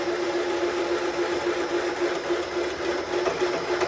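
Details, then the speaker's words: VW Type 4 engine case bored for big-bore cylinders on a milling machine at 210 rpm in back gear, 0.006 in per rev feed: cutting hum with rapid stutter three or four a second as cutter hits a ledge. "okay interrupted cut that you're hearing right now i'll take you over and show you what it is there's a little ledge that's down in there that it's hitting"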